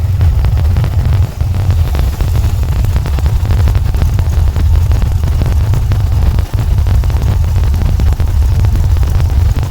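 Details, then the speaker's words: VW Volksrod with dual Weber IDF carbs and EMPI distributor, after idle mixture and synchronization adjustment, not yet hot; deep, loud idle mostly steady but stumbling briefly; still slightly uneven, distributor issues and jetting needed. "still getting kind of a sporadic idle but it sounds good enough for me"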